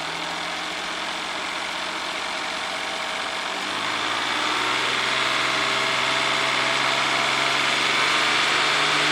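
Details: 1994 Ford Probe GT, climbing from idle to a steady 3000 rpm: no knocks or ticks, sounds healthy; oil pressure reads about 54 psi at 3000, low end of spec (49 psi believed minimum).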